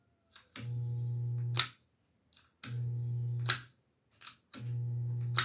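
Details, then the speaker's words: Refrigerator condenser fan motor, AC-only, connected to a DC supply via homemade outlet; three short bursts of low buzz opened and closed by clicks, fan blades fail to turn. "Así que si lo conectamos a la toma no va a funcionar veamos no sé si logran escuchar pero solo se escucha una"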